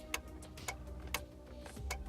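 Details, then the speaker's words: Classic Range Rover LSE power seat after its memory seat ECU was repaired: light regular clicks about every half second under a faint hum when the seat is commanded forward, but it does not move; owner suspects the forward motor rather than the ECU. "the only thing that seemed the doesn't work is forward I can hear that motor clicks"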